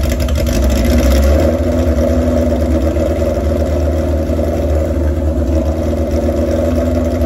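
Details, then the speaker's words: Warm old chopper motorcycle idling with an uneven, lumpy beat that never settles; propane around the carburetor intake rubbers caused no change, only at the air filter did revs change, so no vacuum leak found and rough idle cause unconfirmed. "so you saw I put the gas around the uh the rubbers on the intake where the carburetors hook onto the cylinders and uh absolutely no change in sound of the bike"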